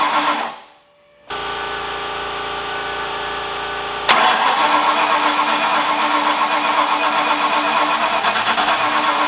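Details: Ford Foxbody V8 just rebuilt in one day, start after adding missing coil grounds and timing adjustments; cranks, catches and settles into an uneven, lumpy idle, then a throttle blip; owner suspects ignition timing, unconfirmed.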